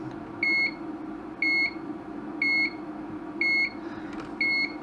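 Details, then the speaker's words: Broken LED dot-matrix scrolling sign (item CL 153.157 UK, apparently made 2008) on bench supply at 5 V, about 2 A: steady quarter-second beep about once a second over faint hum, occasional flash at display top. "all right so it appears we've got a constant beeping with an occasional Flash at the top of the display there"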